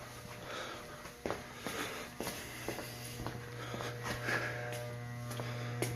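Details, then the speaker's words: Garage furnace makes a loud steady hum but the fan won't start: blower motor energized but not spinning, motor seized (tight), with scattered handling clicks. "he says all it does is make a loud humming noise and the fan won't kick on"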